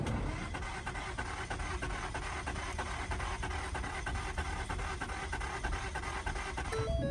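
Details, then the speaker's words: Slow, laboured cranking at roughly three beats a second that keeps dragging without firing. There is no spark despite recently changed plugs and a starter performance code; owner suspects a stretched or off timing chain, earlier backfire bangs. "You can tell it's cranking heavy. That's where it's supposed to start."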